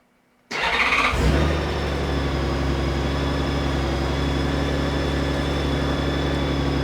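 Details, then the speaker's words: 2016 Honda Gold Wing after switching from synthetic to conventional oil: quick crank, short flare of revs, then smooth, steady idle hum with no ticking or knocking; purrs like a kitten. Normal start and idle. "Purring like a kitten. Oh, she purrs like a kitten."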